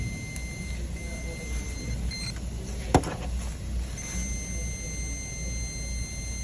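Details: 2009 Acura RL, ABS code 15-1 rear right sensor short, connector unplugged from the ABS module; continuity tester gives a steady high beep, cuts out briefly, then beeps again, showing the sensor line shorted to ground.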